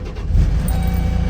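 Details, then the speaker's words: 2007 GMC C6500 Kodiak service truck, diesel, 127,009 miles: starts right up, catches quickly and settles into an even low rumble with no stumbling or knocking. Normal start-up. "We'll go ahead and start her up. Thing starts right up."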